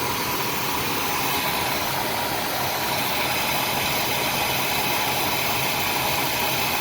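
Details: Older RV with 454 engine after work on the worn carburetor gasket, not fully warmed up: steady, even idle with smooth hum, no popping or stumbling, only slight backfire, far less than before; normal idle.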